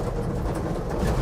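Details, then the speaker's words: 1967 Ford F100 driving after 30+ years, carburetor idle recently tuned; steady deep drone under way, lugging about 25 mph with no misses, spitting or popping; running smooth and healthy, though cab rattles remain. "so it's it's lugging pretty good which is usually kind of where I judge how well an engine's running or how well your tuneup is"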